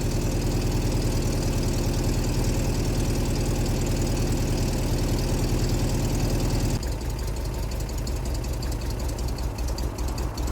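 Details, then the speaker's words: MGB budget sports car, first start, cold with choke pulled, good oil pressure: steady lumpy fast idle settling lower, still wants choke; cold idle on choke. "Definitely still wants to choke."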